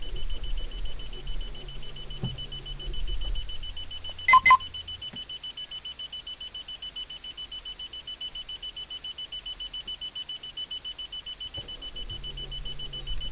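A fast, steady electronic beeping repeats on and on with no engine running: a car that won't start, cause still unknown.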